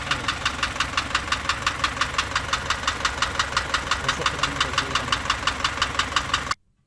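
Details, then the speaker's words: Isuzu engine idling with sharp even tick about twice a second; suspected tappets, rocker arms, camshaft or an internal bearing, not confirmed. "عموما الصوت هذا ينجم يكون صوت من التكهات أو من الكلبيتير أو من الأربراكم، وينجم يكون بيل، يعني يكون نقول احنا كولي بيل، يعني يكون عامل بيل اللي هي يعني في وسط الموتور الداخل"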